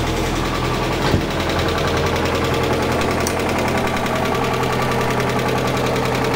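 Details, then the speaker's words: 1991 Mazda Miata after timing belt, cam and crank seals, crank position sensor seal and valve cover gasket replacement, first start after refilling coolant: even, steady idle with smooth low rumble, no knocks or ticks; runs normally, not yet at operating temperature. "okay that's it I mean it runs so that's good we need to take her out on the road and see how she performs though"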